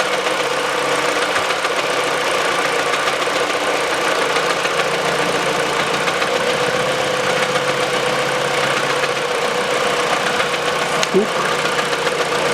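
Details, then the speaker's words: Peugeot 408 2012, 1.6 petrol automatic, 87,000 km, idling on the old stretched drive belt: light rattling knock from the front belt area; the stretched belt is making the tensioner bang. "никакого стука чудеса да и только растянутый ремень давал грохот"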